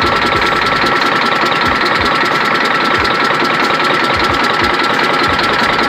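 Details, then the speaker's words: Detroit Diesel Series 60 11.1 in a Freightliner FLD120 with bad injectors, cold after a hard start: uneven lumpy idle with a sharp knock about two or three times a second, apparently firing on only 2 cylinders while others stay cold. "Yeah, but I got this damn knock though, man."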